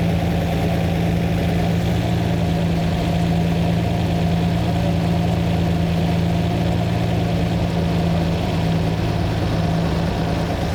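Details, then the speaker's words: Lamborghini V12, rich mixture (about 6–7:1) being corrected screw by screw: smooth, steady idle whose deep hum drops slightly in tone as a mixture screw is turned, with popping as a cylinder tries to work. "As I adjust it you hear the Tone's gone down that that popping is the cylinder trying to work"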